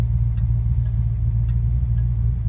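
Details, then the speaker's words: Fox-body rebuilt 5.0 V8 with XE270 cam and Walbro high-flow pump, warm, coasting in neutral to a stop; low steady rumble settling around 850–900 rpm, no stall, misses or surging, normal idle. "And it'll just drop a couple hundred RPMs. Yep. Hanging around 900, 850, something like that."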